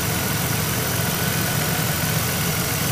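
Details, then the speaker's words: 2001 Monte Carlo SS 3.8L 3800 Series II, after intake manifold and valve cover gasket replacement, coolant flush, new thermostat and oil: steady even idle, smooth hum, no ticks, knocks or misses; sounds good. "other than that sounds pretty good thank you so it looks like this one's a wrap"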